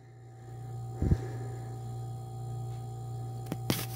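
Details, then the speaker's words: Hotpoint HHM5SM freezer about two years old, compressor after replacing the failed start relay: steady low hum with no clicking off or straining, a few handling knocks; compressor running normally. "but it's definitely running"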